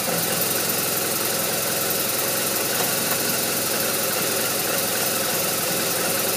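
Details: BMW R1200RT boxer twin idling with an uneven, lumpy beat and some ticking on top, not settling smoothly; rough idle, cause unclear.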